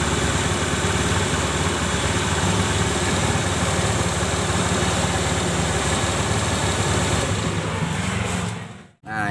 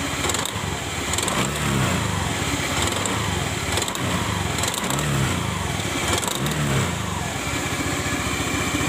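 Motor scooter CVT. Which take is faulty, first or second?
second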